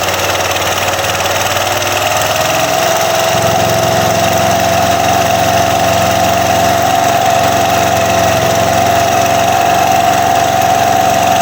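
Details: Yamaha Cygnus (勁戰) scooter after re-tightening a loose clutch/variator (楓葉盤) nut on the crankshaft that caused sharp metal scraping: steady, even idle with smooth exhaust beat and mid-pitched hum, no knocking or rattling; normal idle.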